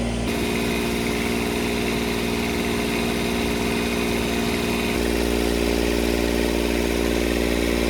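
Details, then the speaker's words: Kubota D722 diesel on a Carrier Supra 850 reefer unit, warming up around 174–180 coolant after sitting for years: steady clatter with loud open rasp because the air intake is off; expected to quiet once refitted. "I do have the intake off, that's why. This should quiet down a lot once I push it under there."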